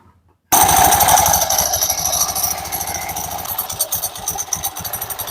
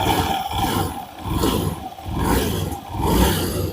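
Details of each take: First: Honda Beat Pop scooter, CVT cover removed, engine idling: fast, loose metallic clatter that keeps going without easing off; the CVT clutch is rattling with worn rollers. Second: Honda Beat Pop scooter after CVT repair with the clutch plates reset, revving: engine swells and drops through four smooth rev cycles with no rattle or knock; the CVT runs smoothly, rattle gone.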